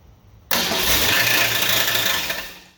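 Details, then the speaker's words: Rebuilt 1966 Ford Mustang 289 V8 at first start after rebuild: engine catches and runs with a harsh, high-pitched grinding whir over it, the starter gear hanging up and not disengaging, still spinning. "that noise was a starter hanging up so I'm gonna start it coming for it in the morning bette"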